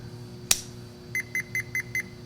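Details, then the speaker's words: Marvac GA-271A vacuum pump's split-phase AC induction motor, armature shaft seized, meter on ohms/continuity across the wall plug: a sharp click, then five short high beeps; continuity confirmed, so the windings are not open or burned and the motor is electrically good. "So I know that the windings aren't opened up or burned up. This motor electrically is good."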